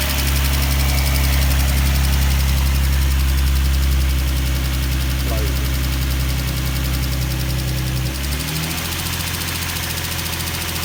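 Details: Nissan 350Z engine catches and settles into a steady deep idle with a faint, even tick at about three per second riding over it; ticking at idle, source unclear.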